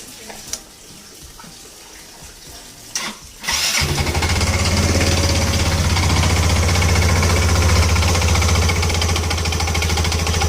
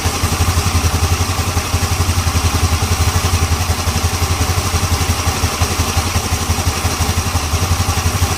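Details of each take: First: Yamaha Ego LC scooter idling: loud, clattery rattle from the CVT drive rather than the engine, noise from loose, worn CVT parts. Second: Yamaha Ego LC scooter, checking CVT-side noise after fitting a new part: engine idles with a steady, even low putter and no rattle from the drive side.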